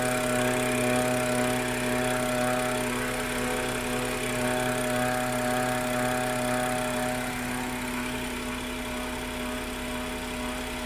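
Steady high whine sits over an even engine drone, holding pitch and fading slightly near the end; the source can't be pinned down.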